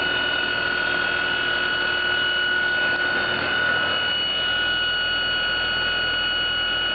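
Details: Trane XR12 heat pump/air conditioner: a loud, steady, high-pitched squeal at constant pitch over the fan rush; squealing noise, source not evident.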